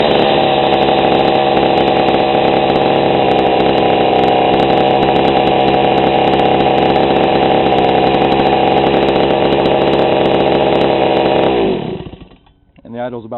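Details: GoPed GSR40 two-stroke with 603 carb and TGN manifold, low needle at 1¼ turns out on the bench: a steady, even buzzing idle for about twelve seconds before shutoff. The low-speed mixture is correct, giving a normal idle.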